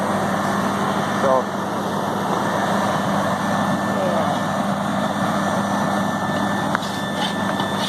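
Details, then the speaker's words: Walk-in freezer compressor restarted after a tripped breaker; snow on the defrost contacts is believed to have shorted it. A steady low hum with an even fan rush and no cycling, clicking or rattles. The compressor is running normally. "we got it running so so far it looks like the only problem was the uh shore on the uh on the def CL compressor is running then I finish"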